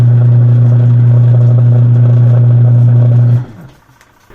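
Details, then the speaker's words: Single-tub washing machine wash motor after fixing the hum, caused by a bushing dried of oil and stuck to the shaft, now lubricated, belt refitted: steady, even drone with no strain, then winds down; motor turns freely. "Guys kung maobserbahan niyo nawala na yung Ugong ng wash motor So ganun lang ang naging problema niya natuyuan ng langis nin at dumikit Ying sa sh"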